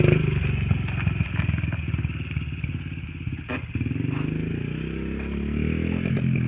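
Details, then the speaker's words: Honda XR50 pit bike with aftermarket pipe, hot from riding: uneven, choppy firing with a brief drop-out midway before picking up; sputtering returned after last night's carb clean, and the owner suspects the carb needs cleaning again. "It ran a lot better last night, but I think it's coming back up again. It's sputtering real bad. It's sputtering worse now."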